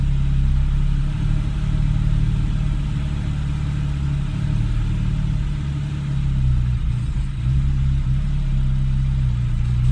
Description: 2013 Porsche 991 c4s rough idle and hesitation. I only revved it one time the rest was all the engine idelling on its own